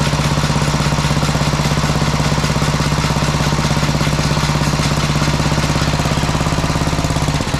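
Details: Sears Suburban 12 lawn tractor with a Tecumseh 12hp engine, barn-stored five or six years, running after rewiring and fuel tank work: steady low drone with an even chuff about three times a second until shut-off, smooth with no misfire or knock.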